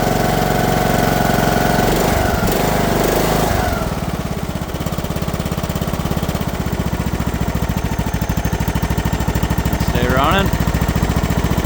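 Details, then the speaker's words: Abandoned Briggs & Stratton lawn mower, sat in hayfield over a year, stale gas, cold start, burns lots of oil: rough catching then steady even putter, no knock or miss; running well. "Listen to this thing purr. Been sitting out in the hayfield for over a year. Burns all kinds of oil."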